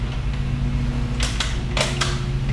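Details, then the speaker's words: 1996 Kawasaki ZX9R project bike rolled in gear: sharp clicks a few tenths of a second apart over a low hum, just the gears turning over; normal gearbox clicking. "You hear it clicking? That's That's the gears."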